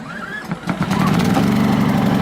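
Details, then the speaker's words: Sportsman GEN2000I 2200W inverter generator, cold pull start on choke with economy mode off; short cord rattle, fires within a second, holds a steady, even buzz; should quiet down once warm: clean start. "it turn the choke off now once it warms up it'll quiet down"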